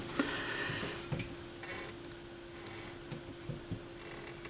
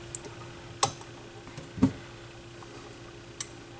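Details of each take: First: Yamaha YP-B4 turntable, propped on its side during cut/auto-return cycle: faint ticks over low hum, then short louder scrape as the Stewart pimple grips its plate; normal gripping noise, plate possibly had debris. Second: Goodwill-found Yamaha YP-B4 turntable after repair and speed adjustment: full auto cycle, faint steady hum, soft clicks and a duller thunk as the tonearm returns and it shuts itself off quietly; normal auto-return cycle.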